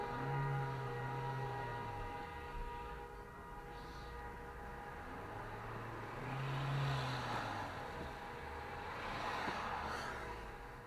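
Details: Toyota Corolla CVT under 55k miles. In drive it disengages and coasts, giving a low hum that surges every few seconds. It then tries to re-engage with strong rough grinding, ending with a jerk or clunk.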